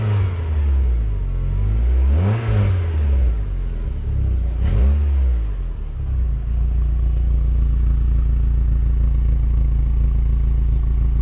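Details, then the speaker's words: Project car Beatrix: two throttle blips with deep raspy boom then heavy low drone at idle, from a rear back box, possibly original, whose baffles have shaken loose. "raspy and boomy because the baffles have completely shaking themselves out"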